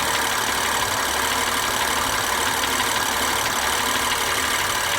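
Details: 2016 BMW M3 at idle: a bright, busy mechanical clatter with faint rapid ticking on top; an engine knock whose cause has not been identified.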